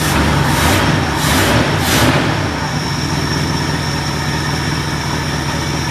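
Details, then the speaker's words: Ford LTD on a new $80 eBay 2150 Ford carburetor, carb screws untouched, replacing a carb that poured gas; catches and settles into a smooth, even low idle with no hunting or stumbling, purrs like a kitten. Normal start and idle. "purrs like a kitten not bad for not even touching the screws on the carburetor"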